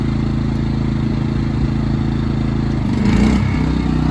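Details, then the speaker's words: Inverter generator running a window AC on low cool: engine drone swells and deepens as the compressor kicks on, then settles without bogging; healthy under load. "There you hear it kick on. So we're running low cool."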